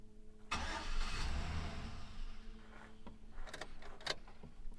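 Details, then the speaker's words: Chevrolet Silverado with junkyard 5.3 Vortec LS swap, first startup: cranks, catches with a rev flare, then sags to a low uneven idle near stalling unless throttle held; suspected old fuel or computer relearning, unconfirmed. "So, it starts up. Um, the only thing is I got to be holding the the gas just a tad bit. I'm not sure. It could be that the gas is very old."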